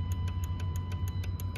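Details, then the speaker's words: 2015 Jeep Cherokee KL with code P0480 (fan circuit 1 open), fan duty cycle commanded via OBD tool: crisp fuse box relay clicks about every sixth of a second over a low hum; fan relay switching normally, wiring to fuse box okay. "you can hear the fuse box clicking and you can see the power going so you can assume that the connection between the fuse box and the wiring it's okay"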